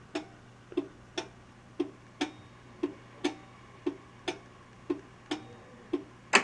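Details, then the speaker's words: 1982 Bally Mr & Mrs Pac-Man pinball (-35 MPU) in coil test: the coil numbers advance but no coils fire. Sharp clicks about once a second from the solenoid expander board over a faint hum, no coil thumps; a bad PIA socket is indicated. "when i advance it to the coil test it's going through the coils now you can see the coil numbers going off and the display but none of the coils are firing"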